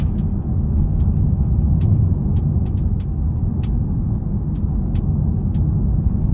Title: Polestar 2 clicking sound when going over cracks/rough road